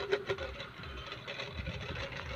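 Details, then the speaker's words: Plug-in clip fan that had been dropped runs with an uneven rattling buzz and scattered ticks instead of a smooth whir; rotor wobbles loosely, noisy from worn bearing play. "Nalaglag siya so yun yung problem niya guys yan so maingay siya tapos halog halog yan"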